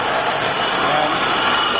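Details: Mitsubishi Lancer, 4G15 or 4G13 engine, running with A/C off and cooling fans unplugged: harsh continuous gritty grinding from the A/C compressor that goes quiet when A/C is switched on; worn compressor pulley bearing.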